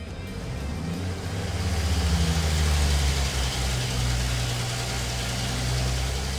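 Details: Ford 300 inline six after sitting 20 years, on dyno pulling alternator, water pump and governor load: loaded drone builds with slight early unevenness that clears up; 86 hp, 228 lb-ft.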